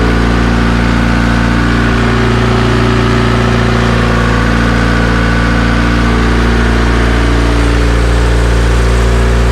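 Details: Ignition-on idle of the new Vitara-built D16 turbo engine in a budget EK Civic, laptop connected, coolant warmed only 1–2 minutes, intake air 22°C: steady, even idle stuck high at about 2000 rpm that never settles. Cause unknown.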